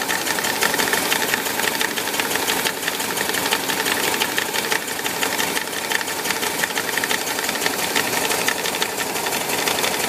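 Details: VW Bus Type 4 air-cooled engine idling: fast, uneven light ticking knock over a clattery run, from the 12 o'clock position on the cooling fan; knocking noise, cause unknown.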